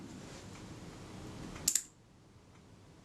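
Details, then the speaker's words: Kodak Retina IIIS camera self-timer after its gear train position was adjusted during a service: a soft, even whirr for about a second and a half, then a crisp shutter click; the self-timer works properly. "sounds very good cool I'm going to go and test this on my show the tester"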